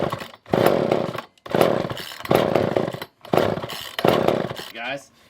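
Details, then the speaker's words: Older Poulan 2000 chainsaw, unstarted for a long time, with fuel poured into the carburetor: five short pull-start bursts, catching briefly but not running on; owner suspects a dirty carburetor. "so i think the thing that i want to do next is pour a little bit of fuel down in there and just make sure it'll fire over"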